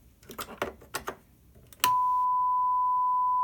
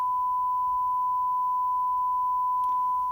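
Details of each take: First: Behringer PMP 3000 mixer, microphone on channel 1 versus the channel with the overdriven head amp, fader near 75: faint clicks then a steady howl near one kilohertz locks in. Both channels show roughly equal gain before feedback; channel 1 is much hissier. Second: So we're going to unplug the microphone, and now we're going to plug in the tone signal. It's just a 1 kilohertz tone, just to get an idea of the relative levels between the 3 channels.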